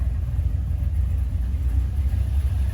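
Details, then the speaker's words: GM 5.3 V8 with budget BTR cam, just reassembled and first start, not yet tuned, coolant being filled: deep even idle burble with no ticking or tapping; lifters quiet, good oil pressure, valvetrain healthy. "it fired right up. The engine's super quiet, lifters, everything sounds really good, has good oil pressure."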